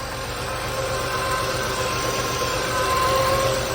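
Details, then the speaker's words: Chevy Lumina Euro 3.1 V6 just started on a weak battery, otherwise a healthy rumble; a thin high whine at idle, suspected from the water pump or alternator pulley, though power steering fluid is probably low; pulley whine at idle. "definitely here's some pulley if it's the water pump or the alternator you hear that whining"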